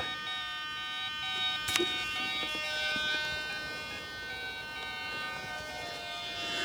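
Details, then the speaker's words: Vario in a finished RC Letov LF-107 Lunak aerobatic glider on 3S 2200 pack (11.46 V), model lifted about 1.2 m: steady electronic beeping with pitch stepping up as raised; vario responding properly. "know if you heard that, but that's the Vario working, which will be really useful."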